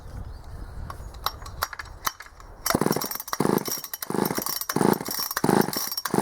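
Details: Vintage Poulan 306A two-stroke chainsaw salvaged from a scrapyard, first start after repair, switched on and choked: a few ticks then uneven buzzing surges, revving and dropping back; pulls cleanly and runs well.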